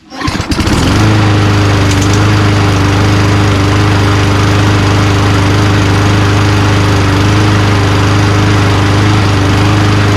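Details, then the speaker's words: Old Toro Recycler Personal Pace push mower, Tecumseh engine, after a tension adjustment, bent slightly: steady constant-speed drone with faint unevenness; runs fine but not as smooth as new, owner hopes fuel treatment cleans it up. "Honestly, guys, I'm not messing with it. Runs just fine. Not as smooth as new, you know, like it kind of goes, you know, but running a little bit with some fuel treatment may clean it up a little bit."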